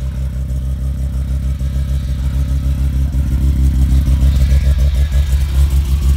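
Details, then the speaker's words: Mazda RX-7 FD with a newly ported rotary on its first push-started run, getting too much fuel: a choppy, loping low idle at around three pulses a second, likened to a bridgeport. "only rotary!! all the birds in the area will die from the exhaust gases lol it sounds like a Bridgeport"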